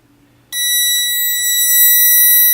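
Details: Prototype water leak sensor with conductive trigger tape dipped in water to simulate a pool on the floor: it wakes from sleep and a shrill, steady high-pitched alarm buzz cuts in abruptly and holds about two seconds, with output reading 5.17V.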